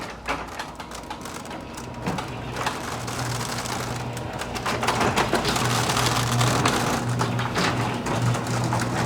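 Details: Garage door opener hums low as the door rattles and clicks steadily, before repair; worn rollers chatter in the track, fixed with nylon rollers and roller sleeves.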